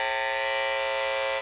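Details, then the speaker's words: CD player with cover removed, tracer amplifier probe held near its power transformer: a loud, harsh, steady buzz, then sudden silence; bad even with the unit turned off; suspected strong electromagnetic interference from the transformer. "could see where the Transformer is it's really bad and if I turn it off it's still bad"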